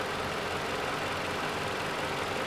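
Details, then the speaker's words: 2011 Toyota RAV4 2AR-FE 2.5L four-cylinder, about 150,000 miles, rebuilt for oil consumption: smooth, even idle with no top-end ticking once warmed and the lifters pumped up. "Engine's running good."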